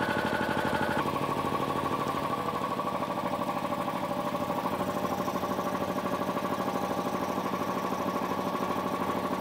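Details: Air compressor electric motor that hums but won't start: constant buzzing hum with a fast regular pulse and no spin-up; start capacitor, run capacitor and overload protection are checked.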